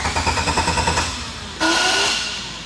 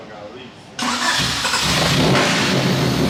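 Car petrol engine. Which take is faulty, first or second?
first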